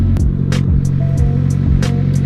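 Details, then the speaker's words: Drift car repaired after Hurricane Irma crash damage, started on the third attempt. It settles into a steady low idle under background clatter and music, with no knocking or stumbling. Normal idle. "it works. It lives."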